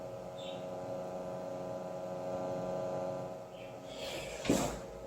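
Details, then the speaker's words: Old wooden Stern Recorder tape radio, oscilloscope on the speaker for a 1 kHz test: steady low mains hum with no tape sound, then handling clatter; the cassette isn't turning, cause unknown. "well the cassette is not moving that's the reason why don't know why"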